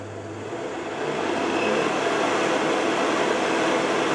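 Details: Carver Fanmaster 12 V heater fan in 1996 Swift caravan, after fan and control PCB repair: whirr climbs smoothly then holds steady, even pitch with no rattle or scrape; motor runs normally but gets quite hot.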